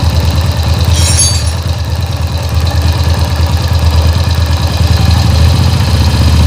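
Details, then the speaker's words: Small single-cylinder motorcycle engine after an engine rebuild, whose oil pump was not lifting oil; the cause was a cover found on the clutch side. Started to test that oil rises: a steady low thumping idle with no knocks, running cleanly. "Oke, ini langsung kita hidupkan dan kita tes apakah oli ini mau naik ke atas."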